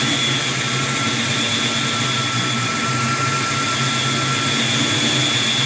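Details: 1992 Mustang at idle: a thin, steady high whistle over an even idle that doesn't change pitch. Owner suspects a vacuum leak, unconfirmed.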